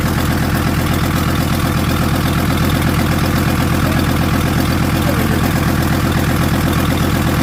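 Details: VW T4 van with the owner's old engine refitted, running for the first time in 2 years; alternator snapped off. Steady, even diesel clatter with a smooth low drone, no misses or knocks; normal idle.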